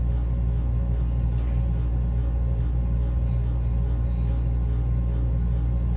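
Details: Furnace giving a constant deep drone with a slight rough edge, humming/grinding; capacitor tests OK, cause unknown.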